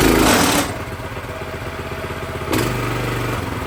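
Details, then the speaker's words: Brand-new Predator 212cc single-cylinder engine on a plate compactor, first start with fresh oil and gas: start burst settling into a steady, even putter with a slight step up in speed after raising the idle; sounds healthy. "It's not bad at all. Had to bring the idle up a little bit. Other than that, this thing is ready to go."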